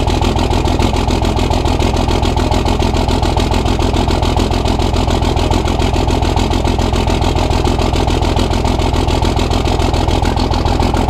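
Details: Cummins diesel truck at its first start after upgrades: loud, slightly uneven idle with heavy low knocking. A loose fifth injector line was spitting fuel after lines 1, 2 and 4 were tightened. Rough idle from a loose injector line.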